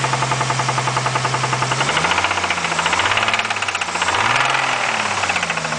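Sharp metallic knock, roughly three to four a second, riding over the idle and following engine speed as revs swing; bottom-end knock. Cause suspected, not confirmed.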